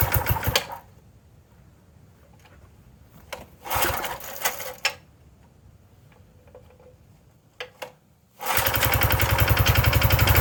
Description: At 0F / -18C the engine fought a bit to get started but once started it worked slowly and kept speeding up.